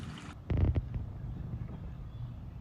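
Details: Pool sand filter pump after repair (new valve, recycled-glass media) on filter setting with suction: low steady motor hum, water churning through lines, no rattles or surging; pump and filter running normally.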